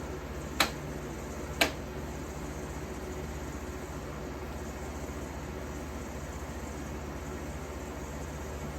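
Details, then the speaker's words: 1953 Fedders Weather Bureau room air conditioner with Tecumseh S-type compressor, after electrical upgrade and service, just plugged in and already blowing cold. Two sharp snaps, then a quiet steady low hum with soft fan rush; healthy running. "Anyway, without further ado, plug her in and see what she's got. Man, that sounds beautiful."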